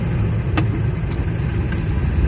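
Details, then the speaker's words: Camper van test drive in 4th shifting to 5th, after wheel bearings failed soon after a garage replaced them: steady low tyre rumble, no metallic grinding or clunks; just ordinary tyre noise, no metallic noise over 2 km. "bah écoute ça a l'air d'aller les pneus font un peu de bruit mais bon ça c'est des bruits de pneus"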